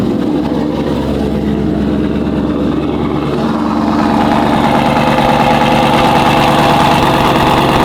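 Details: Roush-platform V8 with Jokers Performance throttle body, cold start warm-up at 55°F, IAT2 above 50: steady even idle with deep low burble, slight lift as it warms, no hunting or stalling, unlike stock throttle body.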